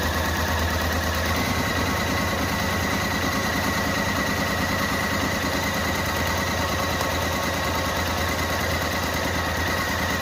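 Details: Renault Kwid at idle: rough, uneven stumbling beat, one cylinder not working, engine won't rev up and stalls; misfire, cylinder head removed and reinstalled.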